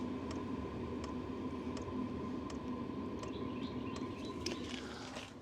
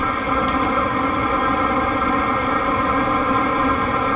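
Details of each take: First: Diesel heater heard up close near the tailgate: soft, even ticks about every three-quarters of a second over a steady heater hum; the fuel pump's normal clicking pulse. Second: Diesel heater running with no exhaust muffler fitted: loud, steady droning hum with a harsh buzzy edge and no pulsing; loud exhaust from missing muffler.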